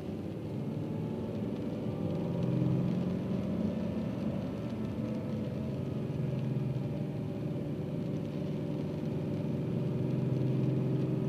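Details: Subaru EZ30 engine at 2500 rpm: a steady mid-rpm rumble with a light, fairly regular knock on top, with rain in the background; the owner fears a bearing, which is unconfirmed.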